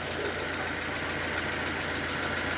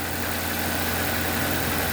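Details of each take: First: 2007 Nissan Y11 Wingroad QG15DE (cable throttle), even settled idle around 825–850 rpm with no hunting or surging; idle air control valve manually set because ECM IACV driver blew, remaining rich condition from fuel pressure regulator. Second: 2007 Nissan Y11 Wingroad, QG15DE cable throttle, steady fast even idle drone with no dip; high idle because burnt ECM driver for the idle air control valve holds idle open, also running rich from stuck fuel pressure regulator.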